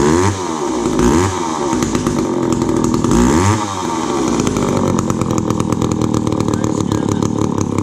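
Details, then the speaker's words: McCulloch Pro Mac 10-10 two-stroke chainsaw with a 28-inch bar and a just-rebuilt carb, started cold on choke: revs up and down twice, then a fast, slightly lumpy burble with sharp exhaust cracks. Cold-blooded and carb needs more adjusting, but runs fine. "it's a little bit cold-blooded. And like I said, I just rebuilt the carb, so it'll need some more adjusting"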